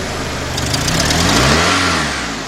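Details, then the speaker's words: 2002 Honda Accord 2.3, after a cranks-no-start fault where bad spark plug wires were found: now running, but a throttle blip climbs slowly, peaks and falls back without crisp pickup, as if wanting to stall; fuel pressure still questionable. "last we got it running but I noticed that when I hit the accelerator it's like it likes want to stall out"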